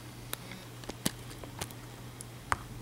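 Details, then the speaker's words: iPhone 4 bumper case with separate add-on volume buttons, mic held close: scattered light plastic clicks at irregular intervals over a faint mains hum as the loose buttons rattle. "let me try you can hear it kind of kind of makes a weird rattling sound um so like if you're running with it it'd make a weird rattling sound"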